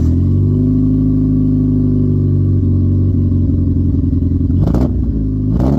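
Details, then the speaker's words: Cheap Honda Civic, mic at exhaust, cold unheated garage: exhaust flutters unevenly at low revs, smoothing as revs climb; plugs and distributor already fixed, owner suspects fuel injectors or fuel filter; injector servicing cured it. "So, as you heard, as I gave it a few revs, it flutters at the bottom, but then it's but then it smooths out the higher up it goes."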